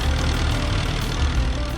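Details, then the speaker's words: Four-cylinder skidder diesel after installing a used injector pump: a deep, even chug running on all four cylinders with no misses or knocks; normal running. "us running on all four cylinders"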